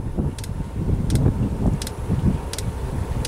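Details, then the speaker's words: Diesel heater just relit after being cleaned with oven cleaner and water, still smoky as it burns off the residue: a low, steady burner roar with sharp fuel-pump ticks about every 0.7 seconds. It is burning normally. "hear it roaring a bit in there now it's not much but it's definitely kicking out some fog"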